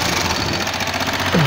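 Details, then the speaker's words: CMG tricycle engine: a loud, rough knocking from the ignition-cover side that grows louder with throttle and hurts torque and speed. Traced to the timing gear, with large play at its pin. Timing gear knock. "صوت كركبة جامد طالع من الموتور، وبالتحديد من ناحية دش الكهرباء. طبعا كل ما بتزود بنزين كل ما الصوت بيعلى، بيزيد معاك القماش، وده طبعا مأثر على عزم المكنة وسرعتها."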